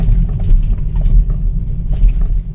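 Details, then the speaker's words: Front suspension of a BMW X1 on a rough, potholed climb: over steady road rumble, a few dull low thuds come when the brakes are tapped, intermittent depending on bumps; worn control arm bushing clunk. "como tá mais esburacado, tá pior de ouvir, tá? Mas então, dependendo da situação, dependendo do buraco, da lombada, alguma coisa assim, é quando o motorista vai conseguir perceber esse barulho, né?"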